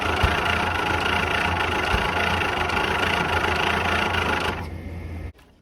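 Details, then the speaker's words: 1951/1952 Ford flathead tow truck after retarding timing: uneven chugging that never climbs in revs, then dies; misfire traced to bad distributor cap whose center post broke off onto the rotor. "I found this round thing sitting on top of the rotor here and it turns out it was the center post for the distributor cap well that's not supposed to come out so we've got a bad cap"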